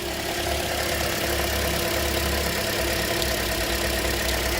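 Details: 2007 Toyota after a crank, no-start fix: steady, even idle with a smooth low hum and no misses, stumbles or knocks. Normal idle.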